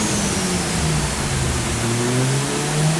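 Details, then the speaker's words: Mazda FD RX-7 single-turbo conversion on Haltech dyno: rotary pulling hard under load with rough uneven stutter; misfires from noise on cam sensor trigger signal giving extra false tooth. "That's something to do with the cam sensor. That noise. Not supposed to do that. It's not a protection thing."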